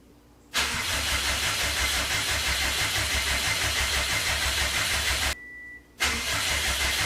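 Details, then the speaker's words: Fully built Subaru EJ25 flat-four, first start after reinstall and retiming; engine pulled over suspected bent valve and metal in oil. Fires instantly into steady even idle, no stumble, restarts cleanly; some residual smoke burning off, runs right. "It's alive. Yes, dude. Oh my god, it sounds so good."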